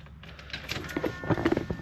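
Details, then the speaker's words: 1987–95 Chevy 350 TBI, new idle air control valve during relearn, terminals A and B shorted, key on and engine off: short uneven electric buzz as the IAC pintle extends fully to zero, which is normal. "You hear that buzzing sound, that's normal. What you're hearing is the IAC."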